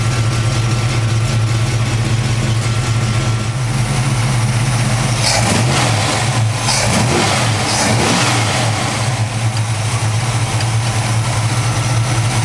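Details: Warm 1991 Chevy K5 Blazer V8: even idle settling down from a brief rev, steady low note with no knocks or misses; normal warm idle.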